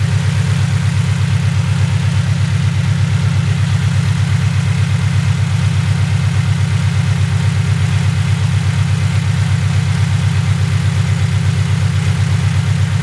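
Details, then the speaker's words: Subaru BRZ at loud cold start after sitting about two weeks: steady idle with a fast even pulse near three per second and faint high chirps, an engine tweeting noise the owner calls crickets; cause unclear. "If you know what the crickets are, it's like some tweeting noise coming from the engine. I don't really know how to explain it, but it's like a tweeting noise coming from the engine."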